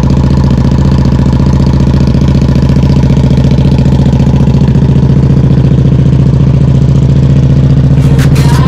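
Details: 2014 KTM RC8R after installing Rottweiler Performance ram air intake kit: smooth, regular low-pitched idle holding steady, firing evenly with no ticks, knocks or hunting; engine sounds healthy.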